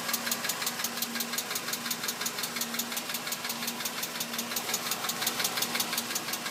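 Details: 2006 VW Jetta MK5 2.5L engine at idle: crisp, evenly spaced ticks, several per second, over a quiet idle; strange top-end tick whose cause is unknown.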